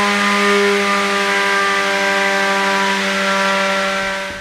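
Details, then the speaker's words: Beetleweight combat robot's belt-driven weapon after changing to new pulleys, run from zero to full power; steady, even high-pitched hum with no rattle or slipping squeal, normal weapon run that seems much better than before. "I'm gonna go from zero to full power just straight yeah that's pretty good so yeah this actually seems a lot better"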